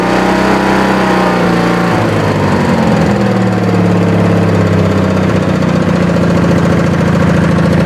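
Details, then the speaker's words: Wheel Horse with twin-cylinder Briggs & Stratton after dead-cylinder repair, governor spring on second notch, runs fast, about 4100 rpm at top: key start, fires right up; steady, even beat with no dead pulses; both cylinders firing normally. "let me fire it up and say that way you guys can hear it gotta turn key it fires right up"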